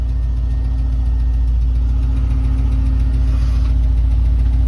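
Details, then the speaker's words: Vehicle with a 6.0 V8 swap at a warm idle of about 850 rpm, 205°F: deep steady idle with faint regular ticking louder than the exhaust, source not pinned down. "it sounds good you can definitely tell there's a down V8 in it but they're the damn the damn ticking engines louder than the exhaust ain't that right pipe"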